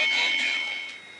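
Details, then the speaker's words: Tube radio tuned to 770 AM: a high, steady squeal over the station sound that fades away is interference picked up by a tube, which may need a tube shield. "Okay, now the radio is still on at the moment, and you can hear that squeal. Okay, we want to eliminate that squeal."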